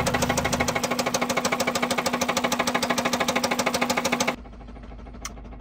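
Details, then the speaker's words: Honda Civic EP3 Type R K20 engine after concrete poured in, red oil light constantly on: loud steady knock about three times a second over a rough idle until cutting out; severe bottom-end knock. "the red oil light is constantly on now which was more than it was before and it still sounds really terrible"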